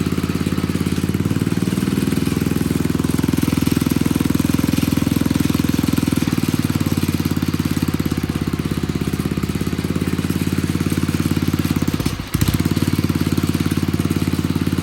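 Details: Old Troy-Bilt Pony rototiller, temporary battery fitted, idling on a little fresh gas: steady low chugging idle, even and unchanging, one brief dip near the end; running fine.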